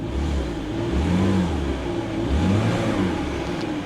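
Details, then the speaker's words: BMW 325ci, nearly out of gas, at auction: smooth even engine note through a few light revs, no knocks or rattles; normal running. "It sounds good, guys."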